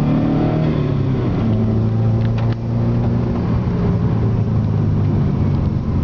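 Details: Subaru EJ20G turbo engine at wide-open throttle on a drive: loud, raspy drone with almost no power. A hole in a piston gave zero compression on that cylinder and an extreme exhaust leak; the engine was replaced.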